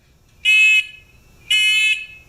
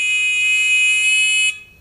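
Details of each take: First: Discovery metal detector pinpointer with housing opened up: two loud, clean high-pitched beeps about a second apart, each under half a second; buzzer strong and normal, owner suspects speaker was mounted facing the wrong way. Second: Beginner metal detector pinpointer on 5-volt rechargeable battery: steady shrill tone holds about one and a half seconds then cuts off while its sensitivity potentiometer is set to about a quarter turn; loud, very sensitive.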